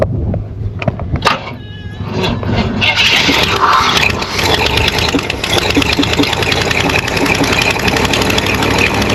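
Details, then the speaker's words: 500 cubic inch V8 in a donor car with AC, first start using a hot shot: a steady, loud idle with a hissy, open-exhaust edge and no knocks or misses. It sounds good. "With AC. Wow, it sounds good. exhaust on here. But it sounds good."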